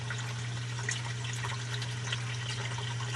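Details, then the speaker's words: Basement sump pump after clearing iron ochre blockage from discharge pipe: steady low hum under rushing water, no grinding or rattling; pumping normally, water level dropping. "you can hear it's on right now again pump is on right now and it's bringing the level water level right down and it should shut off here i would think fairly quickly"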